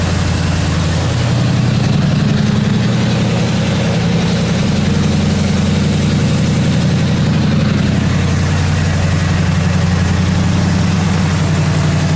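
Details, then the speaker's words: 1977 Mercury Marquis, Ford 400M V8, idling after new spark plugs and plug wires and distributor corrosion cleanup: deep, steady V8 idle with even low rumble, no knocks or misses; running pretty good. "Running pretty good."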